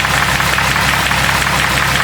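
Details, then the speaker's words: Jeep 4.0 engine, noisy after oil tests from 0W20 to pure Lucas additive, warm around 200 degrees: fast light tapping over a busy idle keeping pace with engine speed; lifters still noisy despite oil changes, cause suspected not confirmed. "For some reason, lifters are still noisy."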